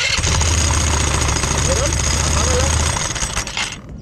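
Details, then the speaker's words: Italika scooter engine running with loose uneven clatter over the drone, then shut off; noise at rear traced to a worn centrifugal clutch spinning badly crooked, not the rod. "si vieron cómo esto está girando como loca. Ahora chéquenle porque lo vamos a volver a grabar, dale, y también les está mal, son dos problemas que tenemos."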